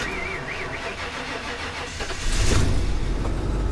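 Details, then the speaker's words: Kia K900 V8 GDI with about 47,455 miles, jump-started: starter grinds and whirs for about two seconds before the engine catches and settles into a rougher fast idle; a little slow to start. "fired right up I mean it's a little slow to start it took a minute"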